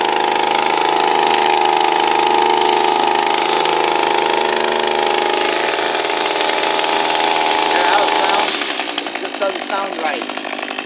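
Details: Echo SRM230 two-stroke line trimmer that was hard to start, revved high: uneven, wavering buzz that drops off, running rough; cause unclear, owner unsure whether it was overworked.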